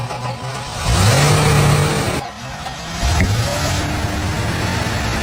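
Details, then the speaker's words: 32-year-old Cadillac Fleetwood Brougham 5.7L V8 after a starter repair and freeing a stuck fuel pump by hammering the tank. Engine catches and takes two clean rev blips that rise and settle smoothly with no stumble or knock; running normally. "Let's try starting it. Wish me luck! This engine is finally running normally."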